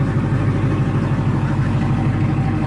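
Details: Chevrolet Camaro ZL1 V8 after replacing a damaged spark plug: deep, steady idle with an even lope and no misses, knocks or ticks. Normal idle.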